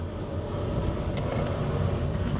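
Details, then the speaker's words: Cheap old Honda Jazz with manual gearbox and high clutch, while driving: loud, heavy low rumbling racket, steady, no clean whine on top; gearbox very noisy, bearings suspected gone, not confirmed. "Oh, this isn't good. This gearbox noisy. This gearbox is very noisy. This is a weak spot on Honda Jazzes."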